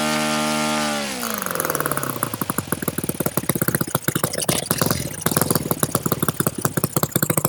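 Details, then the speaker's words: OS FS-91 Surpass four-stroke nitro RC engine, low-speed needle set way too rich. After revving, the throttle is backed to idle with a lot of smoke; revs fall into a slow, lumpy, sagging idle until it dies. "in that little run there you'll notice when i backed it off and let it run at idle a lot of smoke and the rpm gradually decreased until it just died"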